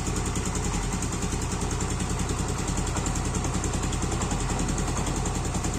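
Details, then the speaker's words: Yamaha Aerox engine after reassembly: smooth, steady idle with no ticking; earlier clatter was caused by a worn, dragging right-side camshaft bearing. "Yang tadinya kemeletek sekarang udah bebas ya guys."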